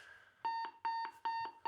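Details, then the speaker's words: Cold War HANDEL warning system carrier control equipment, switch on select, routine call to the ruggedized speakers at an RSC post: a clean two-pulse beep repeating four times, about two pairs a second, the normal peacetime call tone. "So if they wanted to broadcast a message out to just the ruggedized speakers, they'd leave it on select, and they could make a routine call to the RSC post like"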